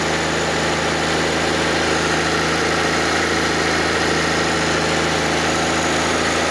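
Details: Fiat Panda 4x4 Sisley, FIRE engine, first start after water pump replacement, cold on manual choke: smooth even idle with steady low hum, no knocks or squeals; normal cold idle.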